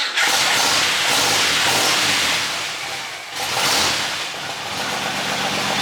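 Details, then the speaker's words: 1963 Buick Special: engine catches promptly on the key and settles into a steady, even idle with no misses. Normal healthy start and idle. "I just hit the key and she fired right up. And it hasn't been started for a week. So, that's pretty crazy."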